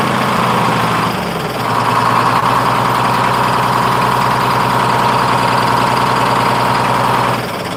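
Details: 1948 GMC Silversides Greyhound bus, freshly in-frame rebuilt Detroit 6-71 two-stroke diesel. Drops briefly, then hangs at steady raised idle and won't settle; owner says buffer screw needs readjusting, unsure why it changed.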